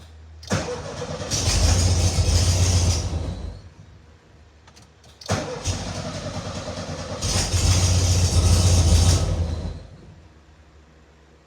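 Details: 1972 VW Beetle air-cooled engine after hard start relay installed to cure hard starting: two short cranks each catching quickly and revving cleanly before dropping back; starts and runs normally.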